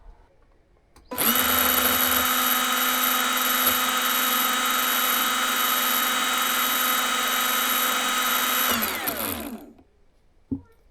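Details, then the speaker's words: Makita DUN461 pole hedge trimmer run with blade removed, cutting head opened to check motor; smooth steady high whine winding down cleanly, enough grease, offset cam free; normal motor run, owner unsure of torque-loss cause, maybe blades need sharpening. "So the motor sounds nice and smooth. There's enough grease in there."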